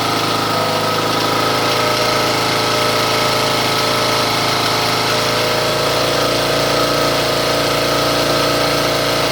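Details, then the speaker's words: Briggs and Stratton engine on a John Deere tractor that idled rough and ran rich from an incompatible cam. After the correct cam, new valve seats and valve recalibration, it drones loud and even, not on low, with no surging: normal running. "So here I'll turn everything on, and you can hear it running with no issues. It's not on the low here."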